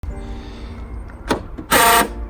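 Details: 2007 Nissan Note door lock: short harsh buzzing burst as the lock cycles, sharper than a clean actuator click; lock mechanism pin out of alignment.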